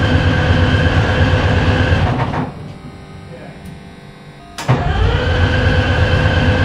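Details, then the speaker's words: FV432 troop carrier diesel, long-sitting, first start attempt with air filters refitted: heavy diesel rumble drops to near silence for about two seconds, then picks up again; it starts and shuts off. "pop it back she starts and shuts off"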